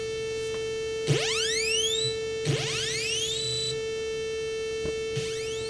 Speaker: here's what it sounds like on a 64 that works but has a bad sid chip or something going on with the audio [Music] you hear that tone in the back already right that constant tone [Music] these other noises half of them aren't even playing